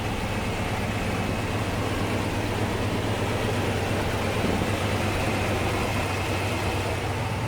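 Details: 1954 Ford F-800 fire truck with Cargo King 170 engine, possibly a Y-block, carbureted: big V8 idling with a low, even rumble and no knocks or misses; healthy idle.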